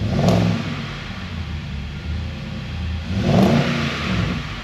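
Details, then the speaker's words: Nissan Y62 Patrol Series 5 first start after fitting a loud Manta cat-back exhaust: a deep, throaty V8 settles into a steady rumble, then swells through two clean blips of revs, even and healthy. "Now, I guess it's time to start the car and see what it sounds like. Ooh, that's a bit creepy, isn't it? Manta, cat back, loud, first starter."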